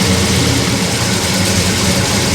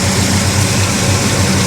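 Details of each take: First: Monte Carlo V8, automatic, no driveshaft, first start while setting timing: loud, fast, hard-edged idle with a slightly uneven, lumpy beat; about 45 degrees advance at idle, too much, timing to be reduced. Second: Monte Carlo V8 with 38 degrees of timing, idling about 850 rpm; pipes full of condensation from sitting: even, very quiet idle with steady low burble, no knocks or misses; normal idle.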